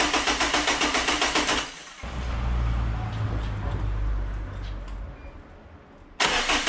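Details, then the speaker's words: Renault Megane 2 1.5 dCi diesel with power loss and loud noise (turbo suspected, boost hose failed), first start after oil change to fill oil filter, low fuel: starter cranks about four beats a second, then catches and settles into steady run. "j'écoutais la batterie bon premier démarrage des chèques"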